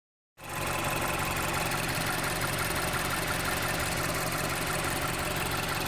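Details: 2011 Mazda CX-7 2.3 turbo at idle: steady idle with fast ticking tapping about four times a second over the engine hum; abnormal engine noise, cause unclear.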